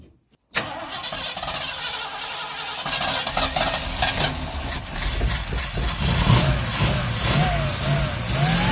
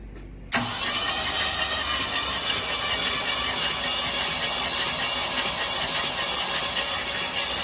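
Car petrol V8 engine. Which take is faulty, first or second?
first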